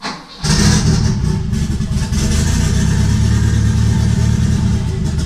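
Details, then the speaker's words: Engine starts and settles into a lumpy, uneven chuffing idle with a missing beat, like a Subaru, after a third-gear full-throttle drift. It was then driven two hours. Extreme blow-by from dipstick and oil cap; melted piston/ring, one cylinder without compression. "the hilarious part about this was I actually drove this after I melted the piston I drove this an hour to drop off Sydney and Vancouver and I drove all the way back with the cylinder the piston ring melted"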